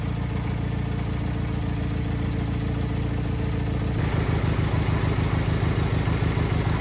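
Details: Wheel Horse 520H garden tractor pulled from a tree row, running on fresh gas from a can: steady single-cylinder thump picks up cleanly to a faster, even beat when throttled; runs smoothly on its own.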